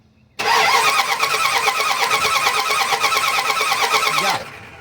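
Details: Dodge Ram/Dakota 3.9/5.2/5.9 gas V-engine cranking evenly about four seconds without firing: crank no start; coil and coil wire show spark, so the distributor is the suspected component, not yet confirmed.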